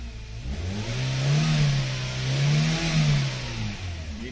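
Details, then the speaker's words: 2012 Hyundai Accent automatic, still cold, after a fix for a crank-no-start: high idle that revs up and settles smoothly with no surging; runs healthy. "So taas ng menor. Walang ano oh. Walang walang badyok-budok pressure ngayon eh."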